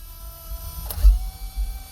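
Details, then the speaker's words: Traxxas X-Maxx steering servo, powered via controller and ESC before conversion to a 1/10 servo; faint buzz with brief rough chatter and no firm hold, gears stripped and neutral position lost. "And you can hear that servo is completely stripped out. The gears are stripped out, and the motor has lost its neutral position."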